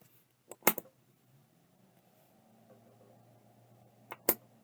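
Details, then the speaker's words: Seagate ST157R RLL hard drive on power-up: sharp clicks, then faint low hum that never climbs to spin-up whine; platters not reaching speed, stiction suspected, shaken to free it, cause not confirmed. "I think it has stion let me uh shake it around a bit h I can hear it start trying to spin but not much more"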